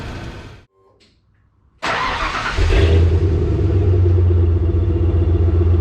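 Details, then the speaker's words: Cold 1995 Ford F150 revving into a deep pulsing rumble with a raspy puffing edge, exhaust vented outside by hose, during throttle position sensor work; exhaust leak suspected, not confirmed. "Definitely have an exhaust leak, guys. I can hear."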